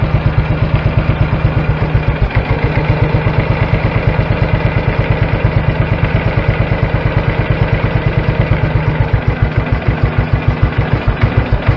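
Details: BSA B31 single-cylinder motorcycle, first fire-up in a while after fitting a NEB belt drive and clutch, on the bench: steady, lumpy thump around two beats a second, no knocks or rattles; healthy idle.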